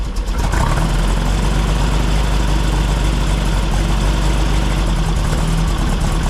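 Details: 1964 VW Beetle after setting ignition timing with a test lamp at the points: catches quickly and settles into a steady, even low rumble with no popping or backfiring, smooth on a later test drive. Normal idle.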